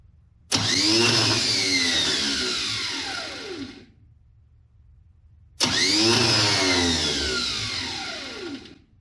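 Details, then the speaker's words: 1970 GMC truck under rebuild, freshly rewired under the hood: brand-new starter gets power and engages but gives two high freewheeling whirs that spin up and coast down without cranking; not making contact with the flywheel, to be checked underneath. "some reason it's not making contact with the flywheel so i guess i'll need to crawl underneath there and check that out but we do have juice to the starter and it does engage like it's supposed to"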